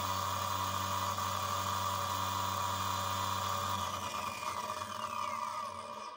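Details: Parkside Performance PWSAP 40-Li A1 40V cordless angle grinder, free-running at about 5700 rpm, near 110 dB: loud whine with a rough chattery edge, then coasting down; rattling angle gears cause the noise and vibration of the whole tool.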